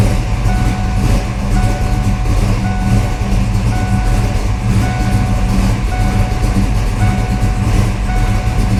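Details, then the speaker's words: 1992 Ford Mustang LX, 434 stroker with MSD ignition, after new Motomaster Eliminator battery replaced a faulty red top causing low-voltage cutoff: starts and settles into a steady, even low idle rumble with a faint intermittent beep; normal start. "All right, well, with that new battery in, that fixes our problem."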